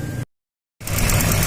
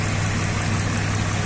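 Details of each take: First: 2007 Suzuki XL-7 with evap purge code and P0300/P0301 history, engine idling: light rapid clicking as the evap purge solenoid, viewed under the engine cover, sticks open and passes vacuum. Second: 2007 Suzuki XL-7, 144,000 km, after cleaning a purge-related vacuum fault: low, even idle rumble with a steady beat and no skips before it cuts out; P0300/P0301 misfire in history, but the engine is not misfiring now.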